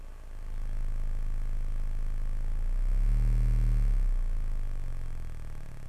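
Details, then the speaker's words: Adcom GFA-555 power amplifier, microphone at speaker on the left channel with a low-frequency test tone: harsh buzzy, clicking, near square-wave distortion; that channel had virtually no bias, running class C instead of class AB, causing crossover distortion. "you can actually hear the crossover point so I'm suspecting it's got a bias issue where the amplifier is not operating in the class A B mode"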